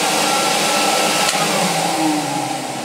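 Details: Electrolux XII vacuum first run after switch repair, before strip-down: smooth, steady, whisper-quiet motor hum with even pitch, no rattles or scraping; motor runs normally.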